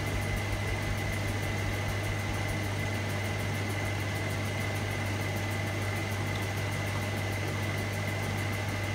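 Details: Hotpoint Supermatic De Luxe 9414 twin-tub washing machine on normal spin after maintenance. The motor gives a smooth, even low hum with no knocking, scraping or wobble. A quiet, healthy spin.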